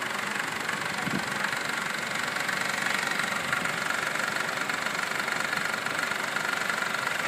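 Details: 2012 Honda Civic EX, 28,500 miles: a fast, even light ticking rattle at about four per second over the idle. It persists after the dealer replaced the tensioner and oil pump, and the dealer plans an engine replacement. Source not pinned down.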